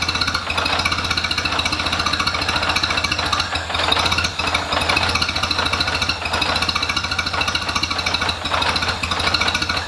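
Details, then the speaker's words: International Harvester Cub Lo-boy tractor, rebuilt C60 engine: quick steady chuff that sags and surges every few seconds as the carburetor floods itself out, gas piling up, making it hard to run consistently. "so there you go this one uh this carburetor is doing that thing again where it's just flooding itself out so see it's gas piling up there so it's making it kind of hard to get it to run good and consistent"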